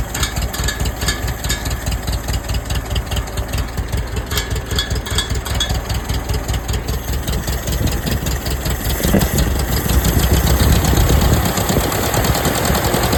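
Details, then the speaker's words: 1947 Case VAH loader tractor bought for $300, unknown how long since it last ran. Deep, steady low chugging idle that firms up slightly near the end, with no knocks or misfires; it sounds good. "Sounds pretty good. Not bad for 300 bucks. I think that was a win."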